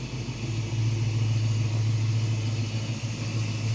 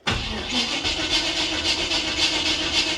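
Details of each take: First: Holley Sniper 2 EFI with HyperSpark and new intake, fixed after two accidentally flipped parts were swapped back, driving after idle learning, coolant 193: even, steady low hum under light throttle, no misfire or stumble; smoother, no previous air-rushing sound. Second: Car with a Holley Sniper EFI (only 50 miles) and HyperSpark distributor/box, runs fine fuel-only, cranking: steady starter whirr about four beats per second, never fires; no spark, EFI apparently not sending signal, cranking possibly too slow from battery.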